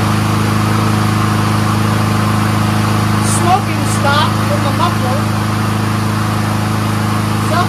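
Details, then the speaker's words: Troy-Bilt 21-inch front self-propelled mower with Honda engine, after adjusting the brake cable, warming up: steady, even hum at constant speed with no misses or surging; runs really smooth, carburetor clean, normal. "foreign runs great really smooth there ain't nothing dirty about that carburetor runs on full choke runs on full run uh self-propulsion works"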